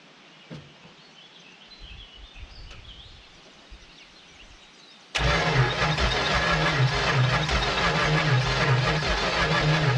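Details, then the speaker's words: 1970 Dodge Super Bee big-block V8 pulled from the junkyard, fed trickle fuel in the carburetor: starter spins at an even rhythm with apparent compression but no firing pulse; crank no start, no spark, coil to be replaced. "all right well we're not getting any spark so so we'll just change the coil actually we'll do the coil first let's see what happens with that"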